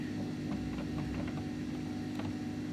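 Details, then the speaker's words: Silhouette Cameo 3 cutter, loading/unloading roller motor: steady motor hum with faint, uneven clicks; drive gears meshed too tightly. "going to try to line these gears up here so they're only just barely touching I can't miss them probably because if I measure them probably then we get that clicking noise"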